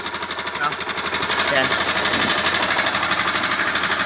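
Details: NS160 motorcycle engine running with loud, rapid metallic clatter caused by running low on engine oil.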